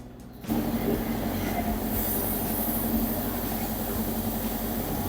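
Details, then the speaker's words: Candy CSOEC10TBE-19 10kg condensation tumble dryer after its broken V-belt was replaced. A steady, even rumble from the turning drum with no slapping, squeal or scrape; it runs normally. "Machine is running well. No any problem."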